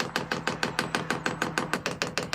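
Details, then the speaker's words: Vevor diesel heater powered by an Anker Solix C300 battery bank, priming started by holding the down button 7 seconds: sharp even ticking about six clicks per second as the fuel pump primes the line; normal. "So to prime the pump, this is what we got to do. So the instruction manual says we got to hold this down button right here for 7 seconds, and that will start to prime the pump."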